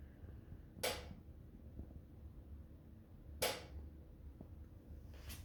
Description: My DeLonghi oil filled radiator is doing strange, loud clicking sounds as if turning off and on